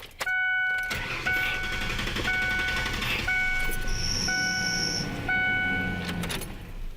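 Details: Running engine with a steady high-pitched squeal cutting in and out in short bursts; accessory serpentine belt squeal, owner was told the tensioner or the belt could be the cause.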